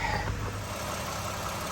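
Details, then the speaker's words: 2013 Toyota Sienna Limited idling after replacing the bad water pump, idler pulley and serpentine belt: even, smooth hum with no whine, rattle or bearing growl from the engine bay; normal idle. "all right mission accomplished no more noise from the engine compartment problem water pump and idler pulley"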